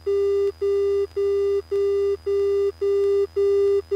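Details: In-flight radio interference in a light aircraft with about 80 hours on it: steady mid-pitch beeps about twice a second over a low hum. The beeping persisted after changing frequencies, engine performance checked normal, and the source is unknown.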